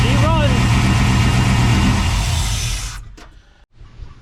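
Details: 1992 Chevy C1500 2WD with LS1/T56 swap, first start on standalone harness, no radiator, run briefly, possible header smoke: loud even V8 rumble pulsing steadily about four beats a second, then clean shutoff; normal idle.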